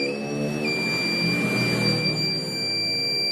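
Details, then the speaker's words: Digital multimeter continuity buzzer after converting it to an 18650 battery with a micro-USB charger and 9V step-up module; a steady, loud high-pitched beep without a break, louder than before, working properly. Plain iron probe contacts should become brass. "Nah, buzzernya jadi lebih kencang kan? Buzzernya menjadi lebih kencang suaranya."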